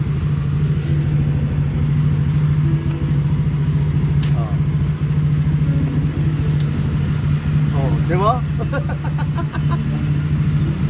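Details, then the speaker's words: Yamaha NMAX v1 scooter that stalls, no diagnostic errors after ISC reset: low idle hunting and wavering, revs dropping instead of holding steady; failing fuel pump identified. "bumabagsak yung gug niyan ibig sabihin yung pump naglolo ko na wala ayaw hindi na gumagana"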